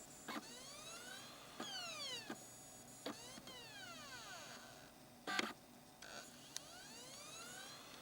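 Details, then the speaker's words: Optical Blu-ray drive in a computer, before trying laser lens cleaners: repeated rising and falling motor whirs with sharp clicks between, spinning up and seeking and never reading the disc; vibration ruled out, fault returns. "Looks like the vibration thing was just a fluke. Yep. It's doing it again."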